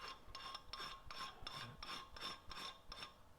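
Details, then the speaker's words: Dry metallic rasping whir in bursts about three a second as the oil pump is hand-spun before priming, on a rebuilt 283 engine for a 1965 Nova Wagon; metal-on-metal sound of a dry, unprimed oil pump. "it just sounds like a metal on metal spinning right so I'm going to show you what it sounds like once it's primed it it sounds different"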